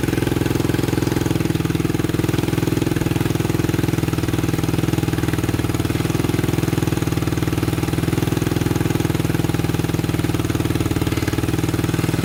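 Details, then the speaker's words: 1987 Honda 250X single finally started after new valves, new coil and roughly a thousand kicks, idle adjusted up: steady even thump about four beats a second, no knocks or misses; healthy settled idle. "oh we got her oh man sounds good oh that took forever to get running good almost gave up on her"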